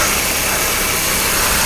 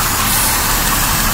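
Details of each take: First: Engine idling evenly with a smooth airy rush after a popped-off vacuum line to the interior heating controls was refitted; the sharp hiss is gone, only faint intake noise remains: normal idle after fixing the vacuum leak. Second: Engine idling after earlier work: loud steady hiss over a low, even idle from a dry-rotted, cracked vacuum hose found near the intake using carb spray.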